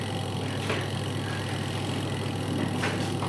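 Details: Aqua Japan washing machine spin dryer after repair of a weak motor that would not spin. Steady low motor hum with an even spin under a clothes load and no scraping or knocking: normal spin cycle, clothes came out dry.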